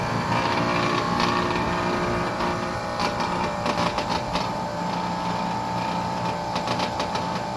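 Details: New Trane XR air conditioner outdoor unit makes a terrible noise, a steady buzzing hum with irregular rattling from a loose solenoid vibrating next to the control board; fix is zip-tying the solenoid.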